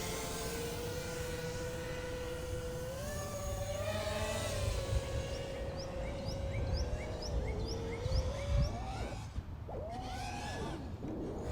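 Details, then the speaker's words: FPV quadcopter in flight: motor whine rises and falls with throttle, with short high chirping propeller squeaks over it. "I'm also getting some props squeak as you can hear"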